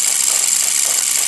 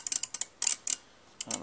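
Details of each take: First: Brushless motor sensing test with card disc and reed switches: high thin continuous hiss with a fast fluttering scrape as the spinning card disc rubs the reed switches, which must sit very close to switch. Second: Brushless motor running on sensors, pulling through all six steps: crisp little clicks in quick bursts as the relays actuate in sequence while it turns; normal relay commutation.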